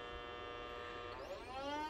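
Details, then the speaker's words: Optoma GT1080 Darbee DLP projector with a lamp error, on spin-up: thin high whine with clustered tones sweeping upward, unsteady and buzzy, with felt vibration; failing colour wheel, overheated and missing its index mark. "yeah hear the color wheel that's bad so i think we found oh i can feel that vibration"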